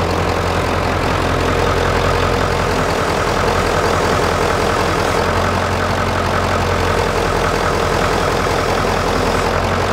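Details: 1996 Ford F-350 7.3 L turbo diesel, started after several glow-plug cycles, during a belt-driven vacuum pump delete (replaced by an electric pump, shorter belt): even diesel clatter at a steady idle, no surging, squeals or knocks; running smoothly.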